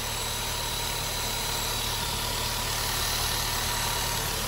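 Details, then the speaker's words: 1997 VW Golf Estate Joker Edition petrol engine at smooth, steady idle with a constant airy hiss on top, which the owner attributes to a vacuum leak somewhere. "it's got a vacuum leak i can hear it somewhere"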